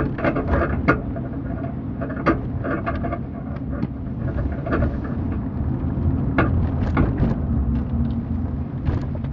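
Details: Dull, irregular clunks knock through steady low road rumble while turning left, recorded from the back seat with the 40% fold-down side open and the trunk empty, so the owner concludes the fault is in the car itself.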